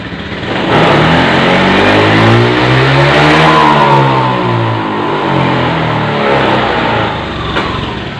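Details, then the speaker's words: Honda Beat FI injection scooter, body opened to fix suspect wiring: on full throttle revs climb then pitch sags and falls away, losing power, even nearly stalling; no fault code; TPS sensor suspected, not confirmed. "kalau saya gaspol dia tenaganya nengok atau hilang perhatikan"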